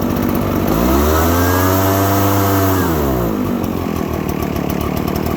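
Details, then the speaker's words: 2-cycle engine loading up with excess fuel: swells to a high rev then falls back into a rough burbling blubber as it clears the fuel, then evens out; running rich. "Now we can hear that it's running a little bit rich."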